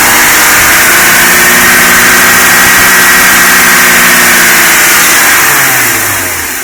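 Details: BMW M52 petrol engine hot, only at 85 °C or more: light regular tappet-like tick about four a second, louder over six months despite new hydraulic tappets and guides; hot oil pressure at cylinder head only 2.25 bar at 5000 rpm.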